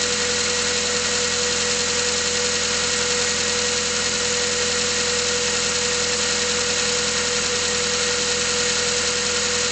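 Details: Mazda 3 cold idle: fine rapid tapping under a constant high whine, an unconfirmed knock. Pistons were replaced under warranty, but the noises returned a year later, also warm under load uphill. Owner hopes it is bearings.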